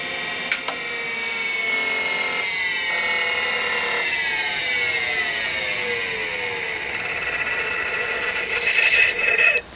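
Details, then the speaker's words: Compaq DeskPro 286 early auto-parking hard drive spinning down: whine slides steadily down with rough grinding near the stop; spindle bearings really bad, grinding is the head auto-park mechanism. "those bearings are really bad and that grinding noise that you heard is actually an auto park mechanism one of the very early Auto parking hard drives"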